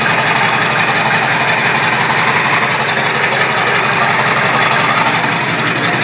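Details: Diesel with a 4-inch straight pipe and the turbo not connected to the intake: a loud rough run with a strong airy hiss and whistle as the open-intake turbo spools, which the owner says sounds good.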